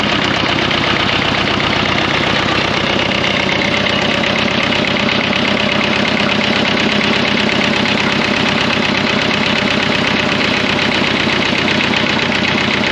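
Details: 1954 Fordson Major diesel tractor, first start after fresh oil and diesel: heavy, loud knock in time with rotation from start-up; owner wonders if bearings are gone or the engaged starter caused it; unconfirmed bottom-end knock.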